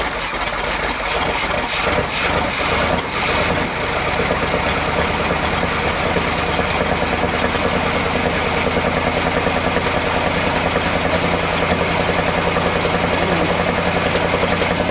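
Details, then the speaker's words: 1979 Chevrolet C20 454 big-block truck, sat about 13 years; cranks, catches and lopes unevenly with a recurring hiccup; one cylinder not firing. "starting to come around got one cylinder that's not firing but sometimes she's running though"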